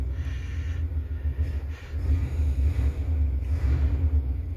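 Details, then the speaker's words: Abandoned 1970 Chevrolet Impala with a 400 small block, first running: deep, slightly lumpy low rumble holding a steady idle without stalling, with no oil pressure light, runs well. "Sounds like it's runs pretty good. No oil pressure light, so everything looks good there."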